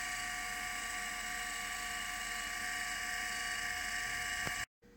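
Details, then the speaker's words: Litter Robot 3 drive motor gearbox after relubricating the dry first and second reduction gears: steady high gear whir with even tones, normal for this gearbox, and the earlier chatter is gone. "the noise that you hear the chatter or I shouldn't say the gear noise is normal for this particular gear box notice you do not hear the chattering sound"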